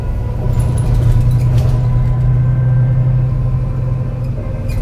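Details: MAN NL202 CNG bus with ZF Ecomat 5-speed gearbox labouring up a hill: deep uneven stumbling throb under load; bad engine misfire while climbing.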